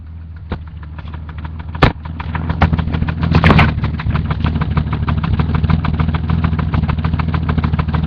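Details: BMW M30 engine with turbo in a 545, idling, possibly recorded from under the car: a sharp, regular ticking knock about three per second over a low rumble. Internal engine knock, cause unknown.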